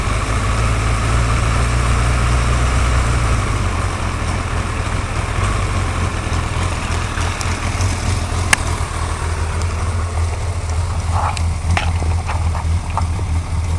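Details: Suzuki GSXR 1100 motorcycle at steady low idle with light, sharp ticks on top, clearer after a few seconds; engine ticking at idle, cause unknown.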